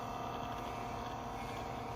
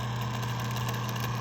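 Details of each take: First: 1981-1985 Mercedes diesel cruise control actuator bench test, negative to motor pin and middle pin touched; quiet even whir, no catches or grinding: smooth, healthy actuator motor. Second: 1981-1985 Mercedes diesel cruise control actuator on bench, power applied to motor pins; steady low motor hum with rough, gritty, crunchy buzz, vibrating to the touch, no smooth spin: noisy worn actuator motor, a reject.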